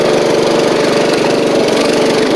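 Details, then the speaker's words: Riding mower after a new drive belt, safety switches bypassed: steady, even engine beat with no misses or knocks at constant speed; slight exhaust leak, but it runs, drives and cuts. "let's see little bit of an exhaust Le but but it does run drive and cut"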